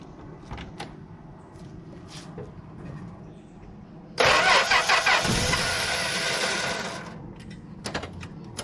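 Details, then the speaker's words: 1964 Plymouth Belvedere slant six, three-on-the-tree, sat about 20 years: about three seconds of steady cranking, never fires; points cleaned, coil wire was arcing to the inner fender, so a leaky coil wire is suspected; crank no start, possibly weak spark. "so I guess this is a leaky coil wire so I made another one it probably needs all new plug wires but I just made the coil wire so maybe that's why it's not getting spark to the spark plugs"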